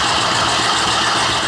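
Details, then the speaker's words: 2018 Jeep Grand Cherokee Trackhawk, water-damaged, first start after a used replacement engine swap: a loud, steady V8 idle with a throaty exhaust roar and no lifter ticking or knocking from the front: normal idle. "that sounds really good I don't hear any ticking I mean that sounds really good that's a good engine of course it's really loud because of the exhaust on it"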